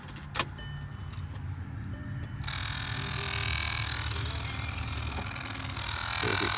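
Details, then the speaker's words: 2008 VW Jetta Mk5, engine on, heater recirculation flap motor behind the dash: blower roars steady while the motor whirs, spinning without catching the gear; the recirculation actuator is confirmed faulty and gets replaced. "kind of hear it spinning around in there. Yeah, so this is definitely it."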